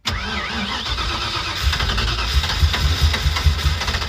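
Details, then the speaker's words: Carbureted car sitting 27 years, choke adjusted, fuel and spark confirmed: steady cranking with a few uneven half-fires that never catch; flooded after the largest accelerator pump shot was fitted, plus throttle bracket changes. "Forgot that I changed the pump shot to the fattest pump shot possible. So, uh yeah, pumped a little bit too much gasoline into her before I tried to s"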